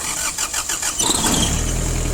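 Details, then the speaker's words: Kubota Saturn X-20 mini tractor, four-cylinder diesel, 955 engine hours, cold start with glow plugs deliberately not preheated: the starter churns in quick even beats for about a second, then the engine catches into a steady clatter. A clean start; the engine runs very evenly. "Без свечей. Свечи не грел специально. Ну, трактор, думаю, слышно, мотор работает. Мотор работает очень и очень ровно."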